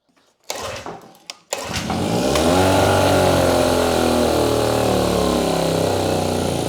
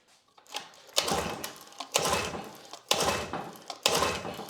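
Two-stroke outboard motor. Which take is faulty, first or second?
second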